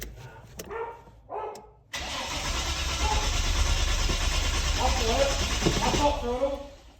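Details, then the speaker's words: Turbo RB30 engine in an R31 Skyline, cranked with the fuel pump disabled before a compression check: steady, even starter churn at about three turns a second for several seconds, no firing or sputter. Normal cranking, as intended. "give her a crank it should run for maybe a couple of turnovers and then it shouldn't fire at all"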